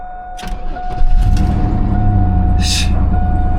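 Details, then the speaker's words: Old Chevy Blazer 2-door with Vortec V6, 276,000 miles: brief crank then fires right up and holds a smooth steady idle with a chime ringing. "That's an old Vortec for you, isn't it? She fires right up, man."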